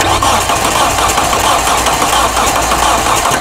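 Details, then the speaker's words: Hyundai with a no-crank problem, starter jumped with a Power Probe and key off: strong, steady cranking whirr with an even pulsing rhythm and no clicking or grinding; the starter turns the engine over fine, so the fault is missing power in the circuit. "start it off Timmy uh leave the key off for me this time so the car doesn't start okay I'm going to crank it again"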